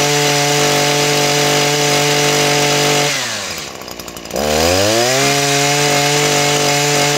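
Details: Small two-stroke engine that showed very low compression on the gauge (about 20 PSI or less); steady high buzz dipping briefly off throttle and picking straight back up cleanly; normal running despite low compression test.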